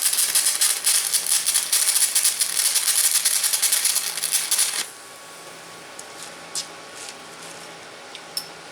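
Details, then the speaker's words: VEVOR MMA 200 DC stick welder, stinger on negative: crackling, spitting arc with irregular pops for about five seconds; this polarity causes the spitting, smoother-sounding with stinger on positive. "Okay, that was the polarity that makes that spitting sound. That's with the stinger on the negative. I think it welds a little smoother with the stinger on the positive, but or at least it sounds smoother."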